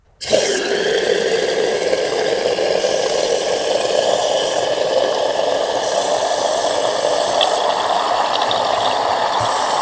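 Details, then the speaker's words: Toilet cistern with condensation-free plastic inner tank, fill valve forced open so it never shuts off: steady hiss of water flowing in while excess runs out the overflow pipe into the bowl, a fairly heavy continuous running. "hvis toilettet står og løber fordi indløbsventil ikke lukker så kan man som regel høre at toilettet tager vand ind samtidig med man selvfølgelig kan se at vandet løber nede i kummen"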